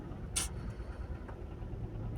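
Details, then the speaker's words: Skoda petrol four with a misfire, running on 3 cylinders with the check engine light on, pulling out of the garage: a low, lumpy, uneven rumble with the whole cabin shaking. "Again, there is a specific sound when the engine drives on 3 cylinders."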